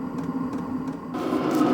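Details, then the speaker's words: HCALORY HBH2 5L 8kW diesel parking heater, first start after unboxing: pump clicking while fuel circulates, fan whoosh, then a fuller burner roar and exhaust as it fires up; display turns red, burner running normally. "You can hear the pump clicking there. It's starting to fire up. You can hear the exhaust. The display is now showing red. So, the burner's running."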